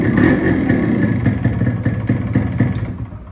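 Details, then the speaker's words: RX two-stroke bike started after fitting a new spark plug (old plug fouled from excess oil/premix): crisp two-stroke crackle about four pops a second, rising with throttle then easing, firing evenly. Normal running. "ఇప్పుడైతే ఒకసారి bike start చేసి చూద్దాం మనం అవుతుందా లేదా అని చెప్పి. Bike అయితే స్టార్ట్ అయిపోయింది."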